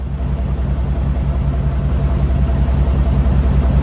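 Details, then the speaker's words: 2000 Chevy Silverado 2500 ex-plow truck, 6.0L LS, 5-speed manual, 4WD, still on its factory exhaust, clutch shot: fired right up and idles with a quiet, even rumble of about 2.5 pulses a second, no misses; normal idle. "But I mean, dude, thing fired right up. Why was this that easy? It literally just fire. It's so quiet. It still has the factory exhaust system on it."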